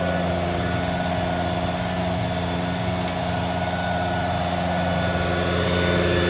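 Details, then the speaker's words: 2012 Ford F-550 service utility truck with a crane, idling with the PTO engaged while the hydraulic outriggers are worked: a smooth, even hydraulic hum with no knocking or straining; outriggers working normally. "I'm going to work the crane and just show you the basic stuff on it. First I'm going to work the outriggers."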